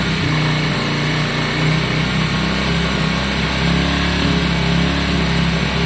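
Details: Yamaha Virago 535 V-twin after carb clean and re-jetting, started on choke for about 30 seconds and still warming up: steady, even low idle thrum with no misses or hunting. Sounds better and runs cleanly.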